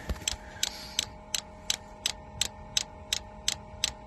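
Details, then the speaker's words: Diesel heater installed in a skoolie bus: sharp, evenly spaced clicks from the fuel dosing pump over a faint hum as it runs dry; pickup not reaching fuel in the tank, so no fuel drawn yet. "she's trying to get some fuel just my luck it's just not reaching in the tank"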